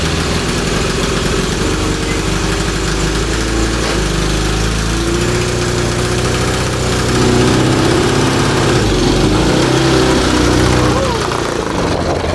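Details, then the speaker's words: Cross kart with a 1982 Honda CB750 DOHC 750cc engine, rebuilt top end, freshly fitted, on a used set of plugs. Deep uneven low-speed lope with stumbling beats; misfiring at low rpm, suspected spark plug fouling. "i'd say it has some kind of uh like spark plugs fouling or something yeah uh we had problems with the spark plugs before"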